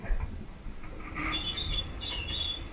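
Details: Duet dryer, unplugged, drum turned slowly by hand: high, thin squeaks chirp from a worn, dry idler pulley, replaced through the lower panel; rollers can also cause the noise.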